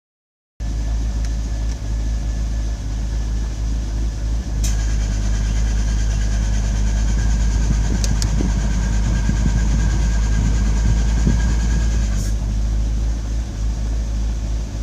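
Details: Chevrolet Corvette C5 Z06 idling with steady high whine and faint rough grinding from the air conditioning; cause not confirmed.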